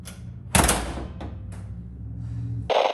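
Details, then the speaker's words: Honda Civic EG hatchback hood bent and creased after flying up and hitting the windshield top; popping it open gives a sharp metallic pop, rattle and loud clunk as the bent hood won't seat or close properly. "this is me trying to just slightly open it that is not the noise you want to hear from a new hood"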